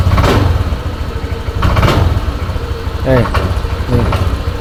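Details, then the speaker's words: Honda Vario scooter: when the throttle is pulled, the low idle stumbles and bogs, revs rise unevenly and the engine nearly dies. Hesitation on throttle, with the fuel system from air filter to throttle body to be inspected. "kita tarik gas seperti ini ya putaran mesin itu seperti akan mati begitu ya"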